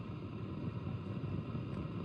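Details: Marshall DSL5CR 5W valve amp, volume at zero with nothing plugged in, original power valve reseated: a low, uneven rumbling flutter under the hum as it warms up. Owner now doubts the power valve and suspects a preamp tube; cause unknown.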